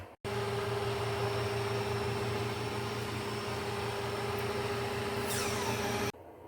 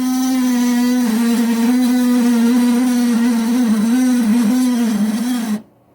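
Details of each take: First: Older Kenmore model 610 refrigerator after replacing noisy evaporator fan motor with modified aftermarket motor: steady even hum with clean mid tone, starting and holding without wobble or scrape; fan motor runs smoothly. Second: Older Kenmore model 610 garage fridge: a loud, wavering low groan drones steadily and then cuts off, from a failing freezer fan motor that is then replaced.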